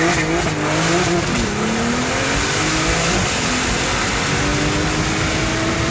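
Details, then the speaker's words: Porsche 911 Turbo 997.2 9A1 engine with PDK seven-speed: hard-pulling engine with a thin rising whistle over loud rushing noise; something wrong, cause unknown before teardown. "oh there's something wrong sounds like a pipeline"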